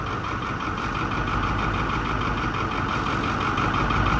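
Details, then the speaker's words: White 4-150 diesel tractor running again after suspected loss of fuel prime, restarted after shutdown: steady low chugging idle with no stumbling. Owner plans to check return lines for holes. "but it does run so that's good let's see if it'll fire right back up if I shut it off it should oh"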